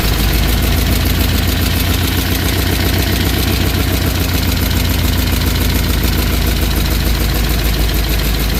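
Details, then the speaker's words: '63 Chevy Impala small-block V8 after valve lash adjustment, car sat years: steady idle with fast top-end clatter, a little quieter; most noise suspected from a leaking part (VB) on one side. "So, got a little quieter, but there's also a Vbay that's over there leaking. That's where most of that noise is coming from right there."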